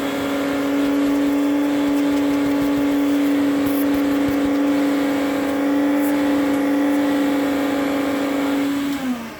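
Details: 1972 Electrolux Z500 vacuum, 425 W motor cleaned up, running with an old-style hose: steady loud motor drone with constant mid-pitched hum, winding down at switch-off; the leaky hose changes the suction note.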